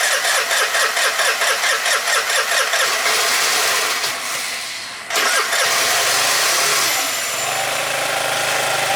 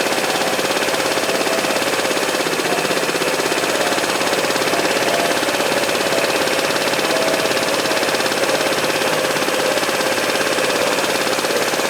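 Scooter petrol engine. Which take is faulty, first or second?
first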